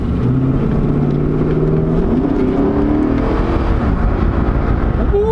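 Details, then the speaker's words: Chevrolet Silverado Z71 after top-end rebuild and DOD delete, no check engine light: throttle rip, engine note climbs smoothly and evenly with no misses, knocks or hesitation, revs right back up; healthy acceleration. "So, here's the part where we give it a little rip and make sure it's going to survive. Oh, it goes right back up, though."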